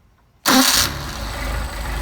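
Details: Rebuilt Solex carburetors with new throttle shafts but no machine work, hot start: the engine fires right away with a short flare, then settles to a smooth, steady idle without stumbling. Normal hot start.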